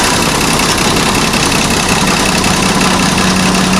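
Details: Howo 380 heavy diesel truck, previously no-start (cranking only), after new injectors were fitted: engine ticks over at a steady, even idle with no misfire, stumble or hunting; running normally.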